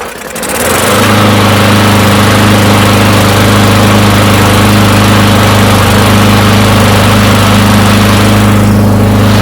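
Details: Free non-running push mower, long unused, after a new air filter, fires within a second into a strong, even single-cylinder beat at steady speed; normal running.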